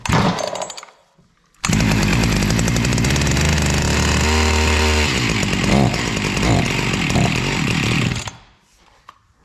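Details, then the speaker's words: Jonsered CS2152C chainsaw, stored a year and wouldn't start, primed with two-stroke gas. Fires and screams about six seconds, then quits: fuel starvation, fuel line found detached and hard as rock, needs replacement. "Well, it did run. I don't even know if there's gas in it. No, there is gas in it. Looks like we're leaking gas when I tipped it. Oh, our fuel line here is is off and it feels hard as a rock."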